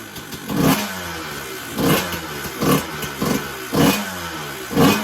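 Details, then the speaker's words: 2000 Honda CR125 125cc two-stroke motocross bike started from cold, in neutral, with a noisy pipe: loud crackly running with uneven blips about every second, no nasty noises; normal two-stroke running. "you know it does run um and um not not making any nasty noises really other than it being a bit noisy"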